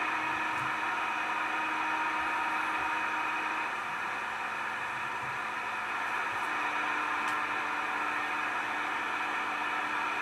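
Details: Steady hiss with a droning buzz, constant and unvarying across the CB radio band; interference noise of unknown source.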